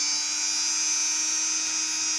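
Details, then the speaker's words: Cheap mini drill after a homemade fix, a small nail through a drilled hole locking the speed potentiometer: high thin whine holding one pitch; the knob no longer shifts and the speed stays uniform. "potenciómetro está totalmente fijado no se desplaza a un lateral y la velocidad de la máquina es uniforme"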